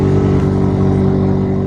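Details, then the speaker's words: Ford F150 Raptor (Gen1) with AC on: a loud, steady droning hum with a strong low buzz as the blower motor spins off balance and shakes the cab; the suspected root cause is a broken fresh/recirculation blend door. "there is something in the blower motor that's causing it to be off balance and when it's off balance it's been so fast that it makes that noise and it vibrates the whole cap"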